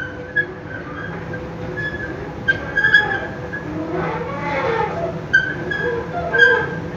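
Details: Noisy, squealing escalator at the Fatih bridge metro entrance, Istanbul: intermittent high squeaks and chirps over a steady mechanical rumble.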